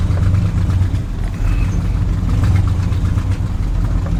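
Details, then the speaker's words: Big block Squarebody truck with a dragging brake: deep rumbling V8 at steady idle with a rough, puffy exhaust note; exhaust leak. "Got a brake dragging, but it might free up. She rides like a 3/4 ton. But that exhaust leak is super annoying."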